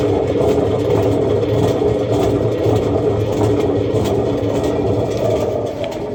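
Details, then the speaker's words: Samsung washing machine: a loud, steady low rumble with a coarse throb while the drum turns. Faulty bearings are suspected, not yet confirmed. "Then it's making a lot of noise. The drum is noisy."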